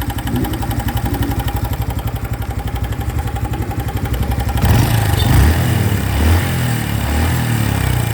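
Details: Honda Biz 2025 motorcycle: fast regular tapping over the idle, then blurs in as the engine revs. An abnormal engine noise appeared after riding under 70 km/h; cause unknown.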